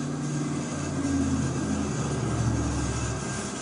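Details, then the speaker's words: After reaching 600 psi, switching to the next cascade cylinder at 1,000 psi and opening it slowly: a steady, even rush of oxygen through the lines with no sputter or whistle; normal flow, gauge needle moving again. "Again, open it slowly. I can hear O2 moving through the lines."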